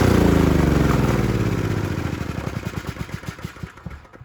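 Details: Honda G300 single-cylinder engine revived after 2 years outside, warm, after carb clean, new needle, fuel line, plug, oil change and water-filled tank cleaned: steady even firing settling from fast run to a regular thump about four a second, runs great.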